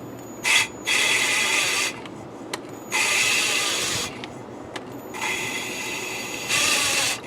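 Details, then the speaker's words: 1968 Triumph TR250 cylinder head, old valves being hand-lapped with paste: repeated gritty rasping strokes about a second long with pauses, rough cut turning smooth as the seat beds in. "know if you can hear it but in the beginning it's like it's rough and then it starts going smooth so now it's smooth but when i lift it and put it back in you can hear it yep"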